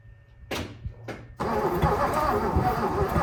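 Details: 1957 Lincoln Premiere: a few slow starter groans, then a long steady crank with no firing. Crank, no start; owner suspects weak battery, weak starter.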